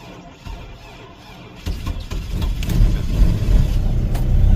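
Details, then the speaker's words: 2006 Chevy Colorado (Atlas engine) cold start at about -1 to -4°F, oil nearly gelled; catches and builds to a steady low rumble that grows louder and fuller without knocks. Normal cold start. "now that's a cold start the oil is just gel at this point"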